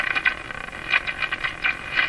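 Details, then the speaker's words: Canadian Westinghouse Model 684 radio after replacing the last wax capacitors, with the second IF transformer jumped: irregular heterodyne squeals and motorboating over hiss, worse than before. Owner suspects the jumped IF transformer. "The heterodyne stuff is worse than ever. You know, you gotta wonder how much of this behavior is really because I've jumped the second IF transformer."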